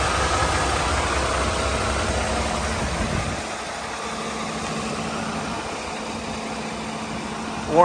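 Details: International ProStar with MaxxForce diesel after fan belt idler pulley retrofit repair: steady, even idle with no knocks, squeals or belt chirp; normal idle.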